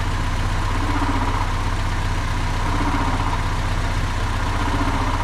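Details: Stock D16Y4 in a Honda Civic after fitting a Skunk2 intake manifold, ignition timing about 15 degrees advanced: a low, steady idle thrum with an even pulse of about three beats a second and no ticks or stumbles. Normal clean idle.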